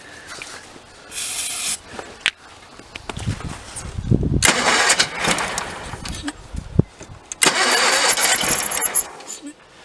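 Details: 1985 Case Ingersoll 448 Hydrive garden tractor, Onan B48M/B38M twin, crank-no-start after fuel line replacement: with starting fluid sprayed into carburetor it catches in short bursts, sputters and dies between; running only on fluid, fuel starvation from failed fuel pump.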